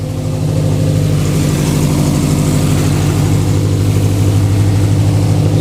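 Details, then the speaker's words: Fully built Subaru EJ25 flat-four just started after reinstall and retiming; engine pulled over suspected bent valve. Steady even low rumble at idle, no stumbles, misses or ticking, while warming up and burning off residual smoke; healthy idle. "It's alive. Yes, dude. Oh my god, it sounds so good."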